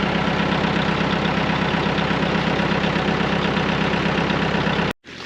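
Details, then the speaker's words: Massey Ferguson MF-255 diesel tractor that had not been starting, now running, heard from a distance; steady, even diesel chug at idle with no knocks or misses until it cuts off; normal diesel idle. "Okay, if you listen up ahead, you should hear the tractor running."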